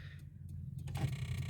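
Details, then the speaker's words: Fast, regular ticking about ten a second from the dashboard area, felt in a component by hand, which starts with the hazard lights on and stops when the brake is pressed. An alarm system fault is suspected, not confirmed. "when I press the brake the clicking noise stops so it's going to be caused by this component over here when I put my finger on it I can feel that ticking noise also when I turn on the hazard light"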